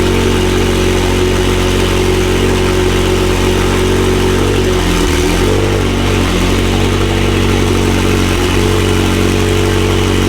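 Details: McLaren 720S engine after repair of Time Attack oil-overheating failure, idling after cold start: steady even idle, smooth low drone, no knocks, misses or ticks; stable oil pressure at idle; normal idle.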